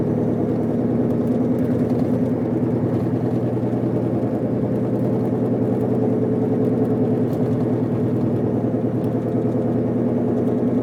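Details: Car driving: steady low droning whine with a grinding edge that gets louder on acceleration and vibrates the whole car. It started the day after the wheel bearings were replaced and goes silent when braking to a stop.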